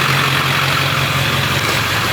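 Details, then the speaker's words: Lifted diesel Ford F250 idling: raspy, puffing hiss over a low steady beat from exhaust escaping through a hole at the top of the far-side exhaust manifold. "So there's a hole see right back there on that right back there on top kicking the exhaust on the manifold."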